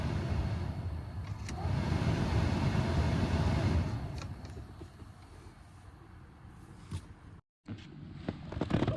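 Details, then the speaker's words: Dodge Charger A/C cabin blower motor after replacing the noisy original with a used junkyard unit: a smooth, steady rush of air with no rattle or squeal, normal blower operation. "all right there it is sounds way better don't have all that noise from the last one anymore"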